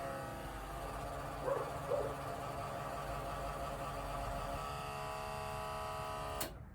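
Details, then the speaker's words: Truck electric fuel pump running via newly wired switch and relay, key on: steady electric buzz for about six seconds, dog barking, then cuts off; normal fuel pump operation. "That relay will activate, the fuel pump will come on. And if you can hear over that loud dog back there, you'll be able to hear the fuel pump running."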